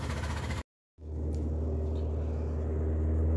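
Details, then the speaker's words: 2013 Ford Ka idling with a lumpy, uneven low pulse about four times a second, running on only two cylinders: a misfire. The cylinder 1 injector is not pulling to ground; ECU fault suspected, not confirmed. "so finally we've managed to get the misfire to occur I don't know if you can hear it in the background there it looks like it's only running on two cylinders"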